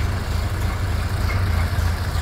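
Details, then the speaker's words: 1929 Ford Model A Roadster just after fuel system replacement, first start: deep, even low thumping four-cylinder idle with steady rhythm, no knocks or misses; runs fine after repair. "right it runs we didn't make it worse"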